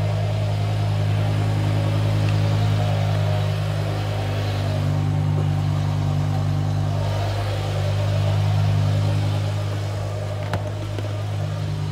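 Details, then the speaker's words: BMW E60 M5 S85 V10 at operating temperature after water pump, thermostat, injector and solenoid replacement, before the VANOS bleed: deep, even idle with a steady low hum and no misses or surges. Idles normally. "if you can see here guys it's now calmed down and the idle and it's running absolutely beautifully you can hear it right there it's idling perfectly"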